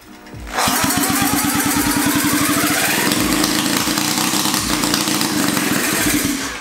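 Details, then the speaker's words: Rebuilt 1975 KC27 294cc rotary from a Hercules W2000: catches into a rough uneven buzzing idle that fades within seconds; compression tests only 30 psi. "Oh man consume terms of having low compression so we just gotten this compression tester so let's see how it does okay that yeah it's only 30 psi"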